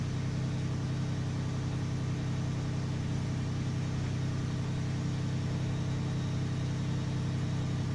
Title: 2012 lexus 450h cold start rattling noise